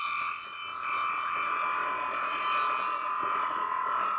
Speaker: That's why you can hear vibration going through it when I'm at the top part of it.